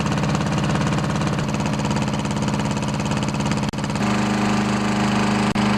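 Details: 10HP Briggs & Stratton engine on a wood chipper shredder after replacing a warped, leaking fuel pump: steady, even single-cylinder putter at constant speed with no knocks or misses; running smoothly.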